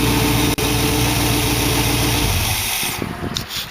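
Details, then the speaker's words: Dual-quad V8 in a 1914 vehicle build with direct linkage; idle still slightly fast. Smooth, even idle with a steady beat and easy starting. There is startup smoke, which the owner suspects is an oil seal. Normal idle. "but at least it's starting up good and idling good."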